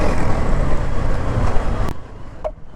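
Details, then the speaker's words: KTM Duke 250 Gen3 just after its first service, riding: a single sharp knock as it revs, then fades; one-off clunk, cause unknown. "இப்போது வண்டி race பண்ண டொக்குன்னு சத்தம் வந்துச்சுங்க. இது என்னன்னு தெரியல, டொக்குன்னு வந்துச்சு."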